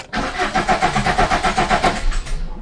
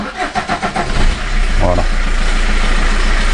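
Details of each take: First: Fiat Punto 1.3 Multijet diesel after an oil change and all four filters replaced: rhythmic cranking, about seven compressions a second, that never catches; air in the new fuel filter, with gurgling heard while priming. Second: Fiat Punto 1.3 Multijet diesel, first start after fuel filter replacement and priming until no more gurgling: about a second of cranking, catches at once and settles into a steady, even diesel run; normal start.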